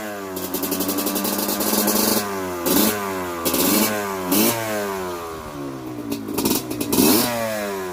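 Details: Honda CRF150L trail bike fitted with a Kawasaki Ninja two-stroke engine, kickstarted before a test ride, fan on with ignition: crisp ring-ding climbing and dropping cleanly through repeated blips; normal running and revving.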